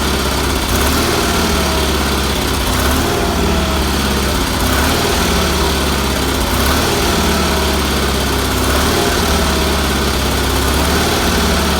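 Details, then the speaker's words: BFM twin engine in a Roper, freshly started after adding a fuel filter, fuel line and pulse line, with a little carburetor tuning (possibly weak fuel pump): steady even beat with no knocks, misses or grinding; running well. "I'm very happy with that motor runs good had to do a little tuning on it"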